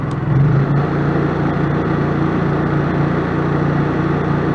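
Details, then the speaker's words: RV generator running on eco throttle, rated 57 dB (50 at quarter load), heard while walking behind the 26-foot camper: soft, steady drone at constant speed, no hunting, knocks or rattles; sounds healthy. "that's the equal throttle ah we're gonna walk behind the camper so my campers 26 feet and you can still hear the generator over there and that's what the equal throttle"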